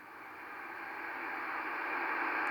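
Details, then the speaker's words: Yaesu FT-902DM, audio at maximum volume: even hiss swelling gradually as RF gain is turned up from minimum, the transceiver's own RF noise; working RF gain, nothing abnormal. "when I switch the RFK up gradually you start hearing the band noise not the band noise actually the the RF noise of the transceiver"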